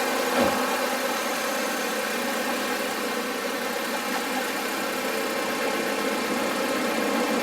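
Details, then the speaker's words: Audi A4 2.0T after harmonic balancer/crank pulley replacement (chirp remained after new serpentine belt); smooth even idle with no chirp or squeak from the belt area; fixed. "no chirping take a they run in Kirby yeah so that looks great no more chirpin which which is awesome"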